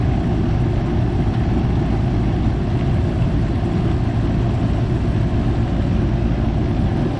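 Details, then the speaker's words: Goodman AC unit starting up after a new 45/5 MFD run capacitor replaced the failed one (44 µF measured, 7.4 µF common-to-fan): even deep compressor hum with steady fan rush, no clicking or stalling; normal run, though high-side pressure is high until the condenser is cleaned. "Procedemos a lo que es prender la máquina, que todo arranque bien."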